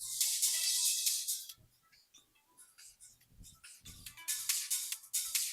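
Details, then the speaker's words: KRK Rokit 5 studio monitor, bought used and cheap, powers up with its logo lit. Music plays thin and tinny with no low end because only the tweeter works and the woofer is silent. "So, let's play some music. As you can hear, only tweeter working and low woofer is silent."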